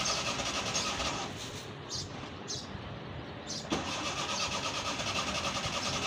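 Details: Old petrol Suzuki Mehran on a cold start, with pedal pumping while cranking and smoke: ragged, fast chugging with a dip and a sudden pickup as the engine catches unevenly and misfires, a hard cold start.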